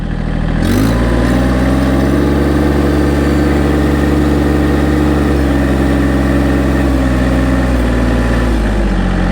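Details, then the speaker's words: Massey Ferguson GC1723e sub-compact diesel tractor just after a start: the engine catches and climbs off idle, then holds a steady, even speed with no knocks or misses, normal warm-up at raised throttle. "recommends that once you first start it, to get it to 1500 RPMs and leave it there to let it warm up."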